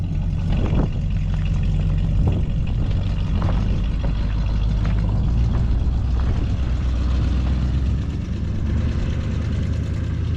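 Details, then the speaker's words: 1973 Chevrolet Chevelle Malibu V8, after fuel pump and gas gauge repairs (it had run out of gas with a dead gauge, killing the electric fuel pump): low, even burble at a steady idle, no ticking or misfire; sounds good, normal idle. "there we got her we just had to get her lined up a little better beautiful sounds good"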